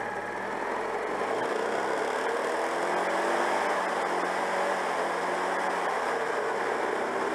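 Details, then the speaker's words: Citroën 2CV after ignition timing adjustment: it revs up well, but the flat-twin idle is slightly uneven and wandering and struggles to stabilise, attributed to worn contact breaker points. "elle montrait très bien dans les tours même bon ralenti cas du mal à stabiliser mais bon je vous ai dit le rupteur est un peu hs"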